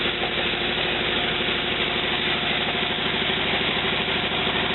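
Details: A 1949 Willys replacement used engine, warmed up with the water hot and a head gasket leak despite retorquing to 65 lb, idles smoothly and evenly with a steady low pulse and no miss or knock, running fine.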